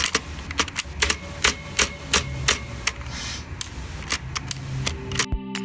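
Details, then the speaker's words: ViewSonic KU520 budget keyboard with blue switches: sharp clicky keystrokes at uneven typing pace, some followed by a short metallic ping; spring resonance, most noticeable on the spacebar. "to me it's loud as hell not only because it uses blue switches but also because of a problem of the spring precisely and it is most obvious with the spacebar you can hear the spring resonance with almost anything but it is most apparent with the spacebar as shown here"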